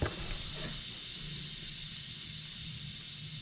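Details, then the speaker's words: 2006 Ram 2500 5.9 Cummins with high exhaust gas temperatures, tested with a boost leak tool on the turbo intake; loud steady hiss of pressurized air escaping past a poorly seated intake boot; boost leak at intake boot. "we're going to listen for some hissing there's ten oh my something is no no way i should have seen that one [Music] that's a huge leak oh my gosh well"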